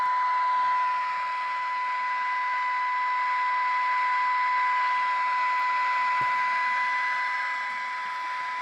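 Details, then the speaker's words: 1979 Ford AM car radio being repaired with a substitute IF transformer, measured across the speaker: a steady test tone over hiss, squeezed into a tight band with a hard cutoff. This transformer configuration may make the IF bandwidth too narrow. "Damn, that is narrow. That might be too narrow. Why is it hard cut off like that? That sounds really really narrow."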